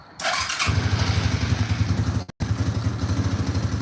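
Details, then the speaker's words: Cold start on a just-bought 2,500-mile ATV, fuel on, no choke with throttle given: engine catches after a short crank into a lumpy low throb, holding revs while cold; owner calls it cold-natured, slow to warm up, then idles well. "She takes a real long second to warm up. But she does idle really good and runs now perfect, which is awesome."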